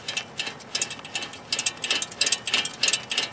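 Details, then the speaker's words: Gritty, uneven clicking and rasping in short bursts as a wheel hub is turned by hand: a worn, galled wheel bearing, failing bearings being felt and heard when rotating the hub. "a failing wheel bearing can also be felt and heard when turning the hub by hand"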